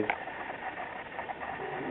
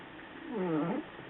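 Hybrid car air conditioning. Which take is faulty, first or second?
second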